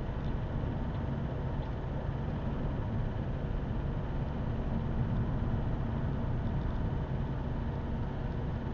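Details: Opel 1.7 CDTI Z17DTJ diesel with Denso injectors running cold like a tractor: heavy rough rumble and hard knock, quiet once warm, no fault codes; fixed by replacing a faulty injector.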